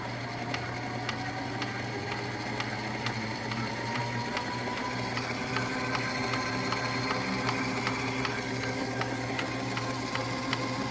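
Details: Ooni Halo Pro spiral dough mixer after only three uses: steady motor hum under a stream of clicking ticks, several per second; abnormal mechanical noise.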